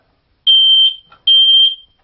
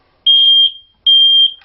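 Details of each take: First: one of them is if you want to test a smoke detector to see if it's working one way to do that is you press a button and you hold it down for a minute and Second: could go off and off and off and never stop and the reason for that is too number one it is doing its job somebody's smoking right underneath it or in the once in a million chance you might actually have a fire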